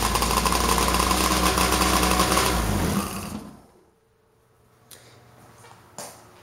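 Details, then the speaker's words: Sharps Marine 1010cc Polaris Pro 785 two-stroke, first start after a full rebuild (new pistons and rings, V-Force reeds, custom reed spacers, milled head, compression up from 100 to 145 PSI). A busy, crisp, even beat, then shutdown; normal idle. "it sounds pretty good"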